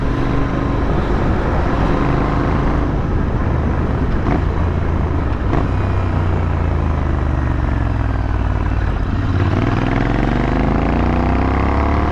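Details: AEW TE102 exhaust with replacement dB-killer baffles fitted, on a night ride in Bangalore, after the earlier weird sounds were fixed: deep, clean drone rising and falling with throttle over road noise, no rattles or pops; healthy note.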